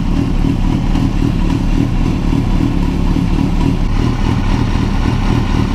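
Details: Honda CBR1000RR after installing an APE manual cam chain tensioner: steady, even inline-four idle with no top-end rattle or slapping; the cam chain now sounds quiet.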